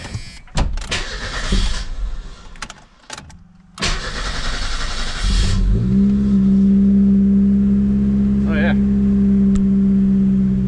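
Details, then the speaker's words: Merkur XR4Ti, cold, after starter replacement and swap from T-Bird back to factory engine mounts, belt off, 60 psi oil pressure: rough start bursts settle into steady even idle without the previous shaking; healthy idle. "can't see it but it feels way better so far um yeah the car would literally just like everything would vibrate everything would shake so very happy with that so far"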